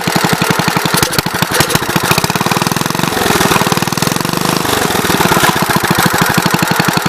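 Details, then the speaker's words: 1970 Gravely Commercial 8 single-cylinder after years sitting, carburetor float fixed so it no longer floods: fast, regular even putter with no sputter; slight fuel wetness remains, far better than gas pouring out before. "too much but it's a lot better that seems a lot better i see there's a little bit of wetness here but it's a whole lot better than gas just pouring out of this thing like it was"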